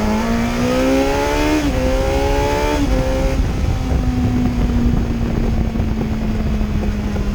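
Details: 2008 Yamaha FZ1 after an ignition coil swap fixed a low-rpm stutter below 4,000 rpm: smooth, even inline-four pull with pitch climbing cleanly through the revs, with no stumble or hesitation.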